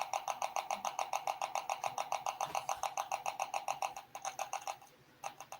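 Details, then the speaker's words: About 40-year-old Apple IIc: repeating game tones through the small speaker with scratchy dropouts and crackle as the volume is changed. Volume control crackle, worn or dirty pot suspected. "yeah you could hear the crackling when i change the volume well i mean it's only 40 years old what do you expect"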